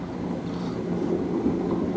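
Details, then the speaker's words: Beko D5 7101 7 kg washer with plastic tub: loud, steady droning rumble during spin from worn, disintegrated drum bearings; bearings and seal replaced. "sıkmada çok ses yapıyor. Makinemiz plastik kazan. Evet arkadaşlar, bilyeler dağılmış."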